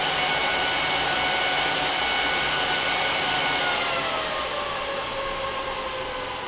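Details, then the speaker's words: HP ProLiant DL380p Gen8 server (24 DIMMs, eight 300 GB 10,000 rpm drives in RAID 5, both power supplies, no cards) after booting: steady airy rush with tones falling as fans slow and quieten; normal fan ramp-down at idle. "so as you can hear once it gets booted and it's idle the fan noise really isn't bad at all"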